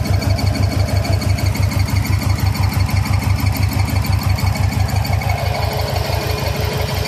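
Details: 2000 Subaru 2.5RS with WRX swap: steady engine run, regular beat about two per second plus a faint intermittent tick, seemingly from under the top-mount intercooler; source unknown.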